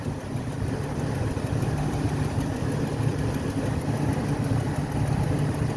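Steady idle with a faint quick ticking riding on top, even and following engine speed; source of the click not identified.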